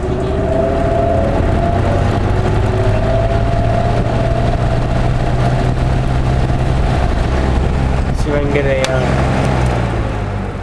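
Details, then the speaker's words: Vintage Montgomery Ward 25-pint dehumidifier made by Norge, circa 1969-70, starting up on high. Its reciprocating compressor gives a smooth low hum under an even fan rush, sounding like a refrigerator. Normal startup. "get a reciprocating compressor in it now to rotary compressor so it sounds like a refrigerator"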